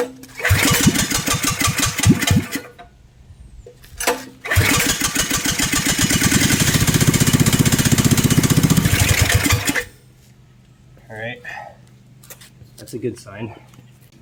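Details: 420cc go-kart engine after piston ring replacement and a wiring fix restoring spark, starting fluid used: small single cranks and sputters, then catches and runs steady with an even beat for several seconds; sounds healthy, though an unidentified squeak was noted.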